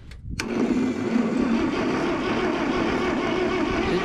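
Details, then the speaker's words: 1967 John Deere 4010 on propane, after sitting for years: steady, even starter whirr turning the engine over without dragging, after a bad positive battery connection was fixed; healthy cranking. "She's cranking. Yeah, we got a... It's this connection here on the positive that was bad."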